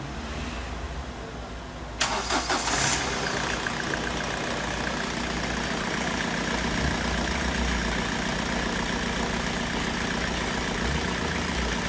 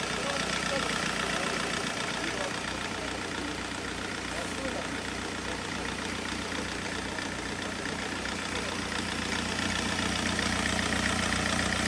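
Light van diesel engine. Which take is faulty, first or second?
second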